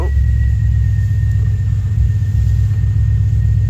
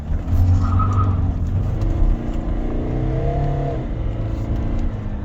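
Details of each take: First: Kia Carnival 2.2 D4HB common-rail turbo diesel, 187,000 km, low power complaint, no check engine light: steady idle rumble with a faint constant high whistle; an intake leak is sucking in unmetered air. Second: Kia Carnival turbo diesel, 187,000 km, driving after the intake pipe that caused low power was replaced: engine note climbs smoothly and evenly under load over road rumble, no hesitation or flat spots; acceleration normal.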